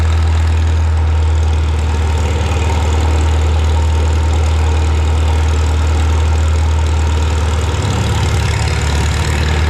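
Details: Farmall Super M tractor being prepared for the Mackinac Bridge crossing, just started with the choke and throttle levers, clutch depressed. A deep, steady low rumble with an even beat and no knocks or misses. The engine idles smoothly and healthy.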